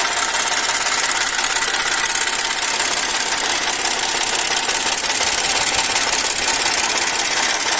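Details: Audi A4 V6 at idle with a fast, uneven ticking knock as the oil pressure warning light flickers; oil starvation because sealant clogged the oil pickup.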